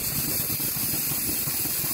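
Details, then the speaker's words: 5-inch gauge 4-4-2 North British Atlantic live-steam locomotive on steam test at working pressure: steady rapid chuffing and mechanical clatter under constant steam hiss, even and unbroken; Stevenson link motion valve gear running normally. "well here we go everything seems to be working okay the stevenson link motion can be seen there"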